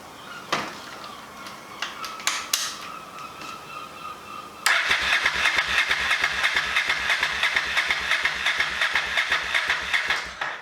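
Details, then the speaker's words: Budget scrambler motorcycle build, started with no exhaust baffling, microphone about a meter away: a few clicks, then a harsh, crackling idle of even pops; very loud unbaffled exhaust. "so first things first i'm about a meter away we're now going to start it without any exhaust baffling"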